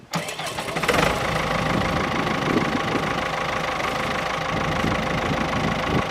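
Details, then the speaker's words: Howard 80 rotovator first start after a new main rotor seal and repairs to the bearing carrier, hinges and height adjusters. Small petrol engine catches within a second and settles into a steady, even beat with no knocks or misses. Normal. "i'm just going to fire it up now for the first time the seat does actually rotate so here we go"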